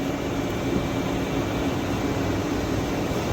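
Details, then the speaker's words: 2015 Tsugami BO325-II CNC Swiss lathe, used only on brass, running a production program dry with doors closed: even mechanical hum and air rush with faint steady high tone, no chatter or knocking; normal operation. "Okay, I'm going to run a program that they're running now. This machine has really only seen brass. I'm going to run this dry so you can see the actual working."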